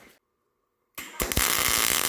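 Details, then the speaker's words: MIG welding thin auto body sheet metal at voltage setting 6, one step above the recommended 5: after a pause the arc strikes into a loud harsh hiss instead of a steady bacon-frying crackle; voltage too high, weld runs away. "Hey, when we increase to the number six voltage setting, man, the weld got away from us really quickly."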